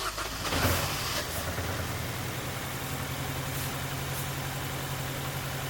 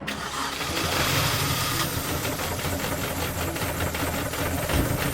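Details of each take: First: £250 Mini Cooper after timing chain work, stabilised, not overheating, coolant level fine: even steady idle hum, revs continuously smooth, sweeping noise in background; normal healthy idle. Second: £250 Mini Cooper off the road 10 weeks, just started: uneven lumpy engine note with irregular stumbling beats and no steady idle, sounding atrocious; rough running, cause not confirmed, coolant leak also found.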